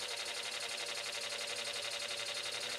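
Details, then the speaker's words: Small motor driving the belts of a shop-built welding rotary table just after the belts were lined up; a steady whir with a fast, even rasping scrape about four times a second, suspected to be something rubbing inside such as a piece of shellac, unconfirmed. "That noise in that motor's still there. I think there's something rubbing, piece of shellac or something, but"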